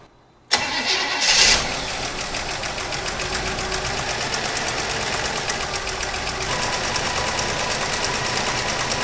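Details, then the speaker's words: 1964 Chevrolet Impala, 283 V8, Powerglide, off the road 28 years; fed from a marine tank in the trunk, hot-wired ignition; fires and settles into a steady, even run on its own fuel pump with no misses. "so i crawled into the car and i pulled the yellow wire off fuse panel kept running so we might be okay"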